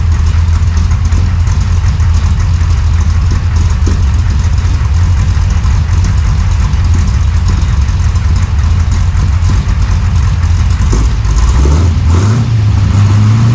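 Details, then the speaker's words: 1968 Chevy Nova SS V8 with new Flowmonster 409 stainless straight-through mufflers replacing the leaking chambered exhaust, no tailpipes yet: deep, even lumpy idle burble with clean revs rising near the end, no ticking or leak puffs; healthy. "That deep-chested thump, not too loud at idle. Sounds great under acceleration."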